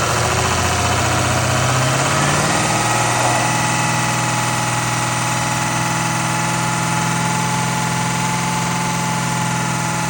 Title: 6.0 weird whining sound coming from oil filter area at 2500 rpm and shutting down.